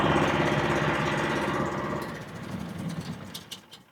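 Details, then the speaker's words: 15.8 HP Predator single-cylinder engine on a DIY Mud Motors kit installed on a 14' Tracker jon boat, kill switch test: runs at a steady, even fast putter, then the kill switch cuts it and it dies out cleanly. "Okay, we're going to start up the motor now. We're going to test the kill switch."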